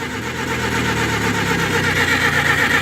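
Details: Oliver 550 gasoline tractor (parts tractor) from auction, earlier would not start after being choked on a warm day, fuel opened, strong battery: steady fast starter churn, turns over evenly but never fires; cranks, no start.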